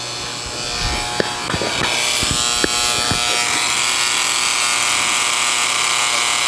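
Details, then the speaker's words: Bally Space Time pinball machine being revived, powered up with no lights. A few clicks at switch-on, then a steady harsh high buzz. The buzzing comes from one of the scoring reels. "Got some buzzing. I think that's the lock on the door. Sounds like we got something buzzing in the back."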